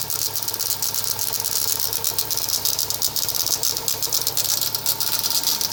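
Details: Rattle from the crankshaft pulley area on a VW EA111 engine at idle: a dry, tinny, loose, uneven rattle at about one burst a second from the front pulley end; cause suspected, not confirmed.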